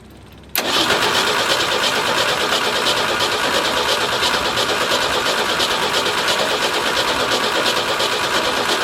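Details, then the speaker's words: Forklift under rebuild after thermostat install and fuel pump swap/rewiring, fuel pump switched on manually, transmission in neutral: starter churns steadily about three pulses a second for several seconds without catching; extended cranking, slow to start, owner suspects it needs starter fluid. "all right I'm going to go get some starter fluid it probably needs just a little help shouldn't need much"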